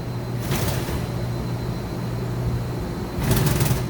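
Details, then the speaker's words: 2013 Mazak HCN 4000 III horizontal machining center, Y-axis full 23-inch stroke at 100% rapids: a steady low hum with two short rattling bursts of light way cover chatter. Covers flow smoothly and the ball screw sounds fine. "A little bit of weight cover chatter, but they're all flowing smoothly and the ball screw sounds just fine."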